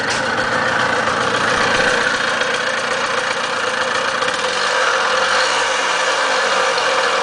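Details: Zündapp ZA50 two-stroke running with an uneven rattly knock under the buzzy exhaust note; owner suspects a bad bearing, not confirmed.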